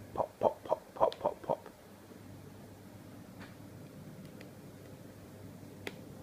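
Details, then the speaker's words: Brand-new LG 23MP75 monitor connected to a Windows 7 desktop over HDMI: six sharp pops about four a second, then a quiet hum. Intermittent popping appears after about 7 minutes; cause unknown. "This is my new LG monitor, and it makes a popping sound."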